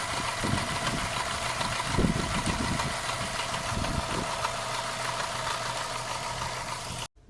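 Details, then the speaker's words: Subaru boxer engine after repair with the timing marks aligned: a quiet, smooth idle with an even low hum and no ticking or knocking, the engine just whispering. Normal after repair. "все даже ничего не [музыка] вот вот она шепчет"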